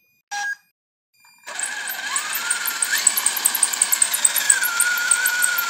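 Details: WLtoys 10428 RC car: short two-note beep, then motor whines with fast irregular ticking and cuts out; beep repeats about every 20 seconds and the wheels stop, suspected receiver or binding issue, cause unknown.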